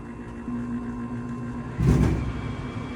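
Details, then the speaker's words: Furnace with newly replaced ductwork: over the low blower hum, one dull thump as the fan starts. The large return-air duct panel flexes in and pops; to be fixed with a drive cleat screwed and taped. "got one one more thing to do when the fan blower starts this return air vent Pops in which it's going to do any second"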